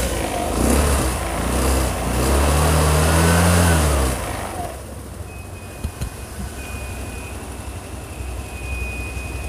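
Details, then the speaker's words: Carburetted Vespa LX (Piaggio) scooter after servicing and idle adjustment (about 1,370–1,400 rpm), previously hard starting, unstable idle, high fuel use: brief blip then steady, even, quiet low idle without misses; healthy. "thì tiếng máy xe đã ngủ rất là êm Rất là nhẹ"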